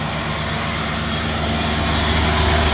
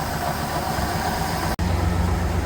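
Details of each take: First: Old Trans Am update run; engine holds a fast, steady raised idle that never settles because the throttle isn't returning, needing a throttle return spring: high idle from missing throttle return spring. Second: 1969 Chevelle V8, not run for at least 30 years, running off a gas can, vacuum advance canister not working: a low, even idle rumble with one brief dropout. It runs fairly well; normal idle.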